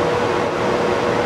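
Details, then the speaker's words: 9,000 BTU RV air-conditioner compressor on a Centech 69662 2000-watt inverter fed by a new 100Ah LiFePO4 battery, restarted after failing twice and almost tripping. Strained, labouring droning hum. Compressor straining on an undersized inverter. "it almost tripped out again but it did start it and his Ryan employee off their burger right now you can hear the doesn't sound very happy the compressor but it is running off of them burger"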